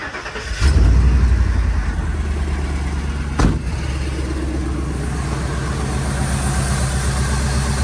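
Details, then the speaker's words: Ford bucket van bought inoperable at auction, down on power: engine catches after a short crank, then a lumpy, uneven low idle that stumbles, won't idle until warm; owner suspects gummed injectors or bad gas. "Still doesn't want to idle until it gets some temperature into it."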